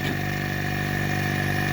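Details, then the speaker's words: Refrigeration/AC vacuum pump running, drawing air as it would evacuate gas and moisture from a connected AC or fridge: steady, even mid-pitched motor hum with no knocks or rattles; normal running. "So ಇಲ್ಲಿ ಎಳಿತಾನೆ ಇರೋದು. ನಾವು ಸಿಸ್ಟಮಿಗೆ connect ಮಾಡಿದಾಗ ಏನಾಗುತ್ತೆ ಅಂತ ಹೇಳಿದರೆ system ಒಳಗಿರೋ ಎಲ್ಲ ಗ್ಯಾಸನ್ನು ಸಹ ಇದು ಹೊರಗೆ ಆಗುತ್ತೆ."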